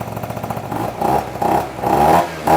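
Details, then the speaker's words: 49cc two-stroke scooter with big bore kit, after refitting the exhaust with the loose, jingling silencer dealt with: short revving blips with a clean, buzzy note and no metallic rattle; exhaust sounds healthy. "all right this should sound a lot better yeah that's way"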